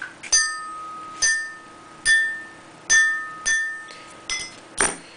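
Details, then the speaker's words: Ford 5.0L Coyote sinter-forged powdered-metal connecting rod tapped with a wrench about once a second: bright, bell-like ring that fades slowly, not the dull thud of a cast part, indicating good metal density. "a cast piece or a piece that has not received the forging step would make a much more dulled thud rather than the nice ringing and pinging noise. The pinging noise indicates that this piece has a very good metal density to it."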